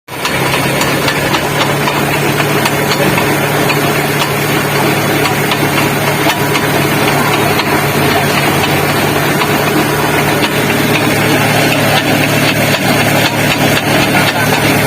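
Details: Mitsubishi L300 with suspected broken crown wheel teeth in the differential, noise typically heard driving straight; heavy rumbling drive noise with an uneven clunk about four times a second over the engine.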